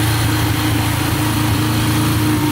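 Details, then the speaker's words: Yamaha TTR125 dirt bike (believed 2003) after top and bottom end rebuild; steady even single-cylinder idle, no misses or stumbles, then cut off; no smoke, engine and carburetor sealed up; healthy idle. "right now a single drip coming from the engine so that's all sealed up perfectly a single drip coming from the carburetor so that's all good to go"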